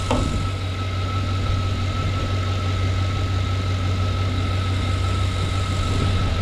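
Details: 2007 Chevy Suburban with stalling and extended-crank complaint, running after the unplugged MAP sensor was reconnected and codes cleared; smooth, steady idle, even low hum with faint constant whine, no stumbling or knocks; a shorted harness is suspected, cold weather.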